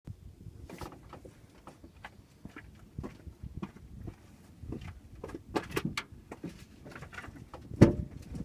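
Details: Range Rover L322, engine off, steering turned: irregular dull clicks and knocks, first noticed on full lock; track rod end ball joints looked fine, front passenger caliper later seized; source unconfirmed.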